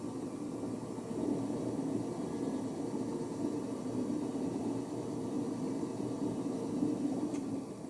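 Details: Hoover Nextra HNL6166 6 kg 1600-spin washing machine on spin: a harsh, steady rumble with a rough hiss from very broken drum bearings, and the tub is dangerously out of balance.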